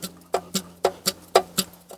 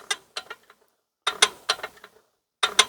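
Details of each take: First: Ruston PB8 engine being rebuilt: sharp metallic clacks, about four a second, as a loose replacement piston is rocked by hand in a worn cylinder. Bore too worn for this piston; the plan is to go back to the original matched piston. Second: Ruston PB8 engine, piston out, before fitting a new big end shell: the crank is swung by hand with light clicking bursts and settles back on the flywheel weights. It spins freely with no binding, and there is no camshaft or cylinder wear.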